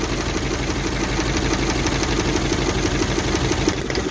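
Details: Suzuki APV (Mega Carry) idling rough with a loping, shaky beat around three per second while ignition coils are unplugged one at a time (No. 4) to find the misfiring cylinder; shaking worsens on a coil pull.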